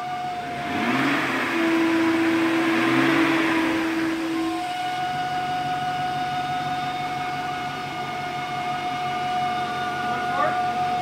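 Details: BMW 540i V8 after valley pan replacement, revved then back to idle: rushing hiss and steady whistle, then idle with a thin tone; owner suspects a vacuum leak from the valley pan job; vacuum leak hiss under revving.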